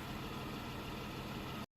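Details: 1991 Dodge Grand Caravan SE, revived after sitting since 2003, now roadworthy after a drive (speedometer faulty): steady, even low hum, no knocks, misses or ticks before it cuts off; smooth, healthy idle.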